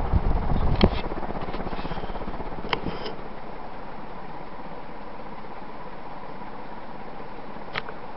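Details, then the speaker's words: About 35-year-old Energ-Air (Union) 36-inch industrial ceiling fan on high speed via Hunter 3-speed control; steady airy hiss over soft whoosh from worn, hissing bearings. "Now we're going to bump it to high. And you can really hear the bearings hiss."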